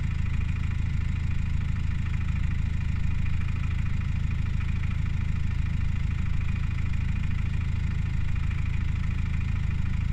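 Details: Subaru Outback 2.0 diesel at idle making a weird engine sound: dense low rhythmic clatter about two beats a second, heavy underneath; abnormal, cause unclear.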